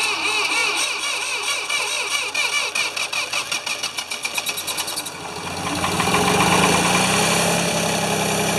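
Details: Free Ford 2600 tractor on first start attempts, smoking as it burns oil off, with plug wires popping off. An uneven, stumbling beat of about two to three per second hunts and surges. The owner says fuel delivery is definitely not feeding enough fuel.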